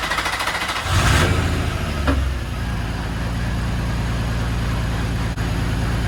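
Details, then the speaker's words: Infiniti G35 first startup after five-month rebuild: engine catches and settles into rough, loud idle with coarse metallic rattle over low rumble; exhaust rattle still needs fixing. "We just gotta fix that rattle. That sounds horrible. That rattle sound really bad, but that's it."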